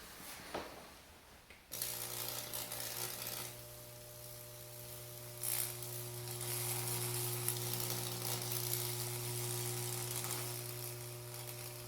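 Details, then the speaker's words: Lichtenberg burner built from a microwave transformer, operated by a dead-man switch: a steady low mains buzz with a crackling sizzle cuts in and holds, showing the transformer is loaded and arcing. Normal burn buzz. "you can also hear the transformer buzzing as well so you know whether or not you're getting anything"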